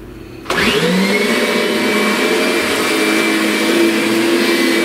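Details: Kirby Sentria vacuum after impeller replacement, brush roller lowered as loose carpet had been sucked up and stalled it: spins up within half a second to a steady high whine and even suction roar, healthy.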